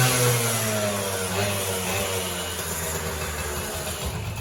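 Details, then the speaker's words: Honda Elite 50 49cc two-stroke scooter, kick-started, revving up and down: light uneven metallic rattle over the exhaust buzz, ring rattle from slop in the worn top end, which the owner says these all have; runs otherwise strong. "These come standard with something called ring rattle. They all do it. You'll hear it. Just some slop in the top end."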